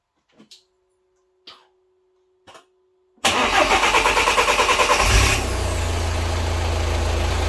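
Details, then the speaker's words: 2.0 TDI diesel (Seat Exeo/Audi/VW group) after a fuel filter replacement and bleeding the fuel system with the pump run via a diagnostic tool: three short clicks, a quick two-second crank, then a steady diesel clatter at idle. It starts and idles normally. "okay we've bled the system so let's confirm now that everything is bled properly and the engine starts"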